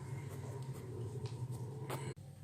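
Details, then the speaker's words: Refrigerator that suddenly stopped cooling, after a part was replaced: a low, steady compressor hum with a faint water-like trickle of refrigerant. Normal cooling. "begini jadinya, suaranya pun terdengar kayak bunyi air. Itu tandanya kulkas Anda sudah normal."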